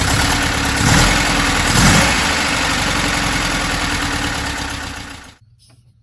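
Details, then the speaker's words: 1968 Porsche 912 air-cooled engine after reinstall: uneven, lumpy idle with wandering beat fading as engine shuts off; rough idle, one carburetor found with butterflies worn in housing, carbs to be rebuilt. "hopefully this is gonna cure the funky idle issue and just overall help this thing run prime the carburetor is thrown apart this one has a significant issue if you watch i can that movement is actually means the butterflies are worn in the housing"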